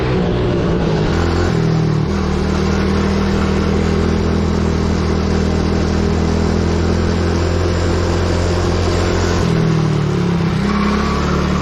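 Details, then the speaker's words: Coolster 110cc quad that sat two years, warmed up, on test ride: engine races and holds high revs, dips briefly, climbs again; throttle stuck open because the carburettor cap was not screwed on properly; owner hopes nothing got sucked into the engine. "W the throttle um um stuck open on me so not good you can hear it there's some stuff going on in there um I'm just hoping nothing got sucked into the engine"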